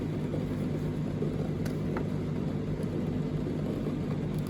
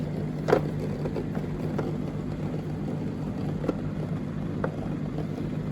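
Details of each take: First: Indesit condenser tumble dryer (IDCE8450), heard from the back. Low, steady whirring hum with no cycling: the condensate pump keeps running although the reservoir is dry, while the float switch clicks up and down. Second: Street-found Indesit IDCE8450 condenser dryer: small pump hums steadily without pause, odd light knock. Owner suspects a faulty micro/float switch, as the pump shouldn't run continuously.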